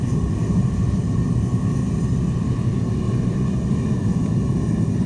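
Steady, even low roar with no sputter or gaps; the burner is running smoothly.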